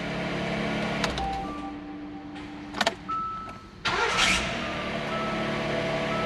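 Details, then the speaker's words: 2017 Hyundai Santa Fe XL 3.3 L after starter replacement: a thin, high squeak comes and goes in short sharp bursts during cranking and catch, not heard before; suspected belt or starter. "maybe it could be from the belt there's that squeak could be from the start"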